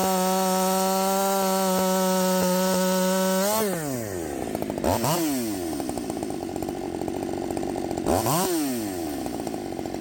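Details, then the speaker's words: Redmax 5000 chainsaw, 16-in bar, sharpened steel RS chain, 8-pin sprocket, muffler before mod, warming up: steady high drone dips and recovers under load in the cut; poor cold idle, pulls rpm worse than with 7-pin. "B seemed like it was cutting extremely fast to me um but I did notice that it was not able to pull the RPMs nearly as well with that 8 Pin sprocket as it did with the seven which makes sense right"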